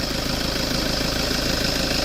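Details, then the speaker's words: Toyota Vigo AC after evaporator, dryer and valve replacement, compressor oil change and new bearing, system not flushed: even, steady hum with fast regular pulse, no grinding or rattle; compressor running normally, cooling good. "ถ่ายน้ำมันคอมเปลี่ยนลูกปืนให้เสียงการทำงานปกติเลยนะแล้วก็ความเย็นทำได้ดี"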